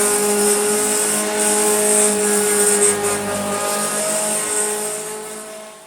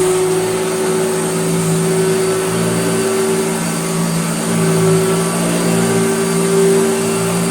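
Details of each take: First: Vintage Hoover Junior (Dirtsearcher) vacuum cleaner motor: loud high whine with rough shaky buzz and heavy vibration winding down, caused by a bent armature; fixed by fitting a new pattern-part armature. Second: Vintage Hoover Dirtsearcher Junior vacuum after restoration, bent armature replaced with new pattern armature: steady, even motor hum of constant pitch with no rubbing or rattling; previously vibrated badly. Motor runs normally after repair.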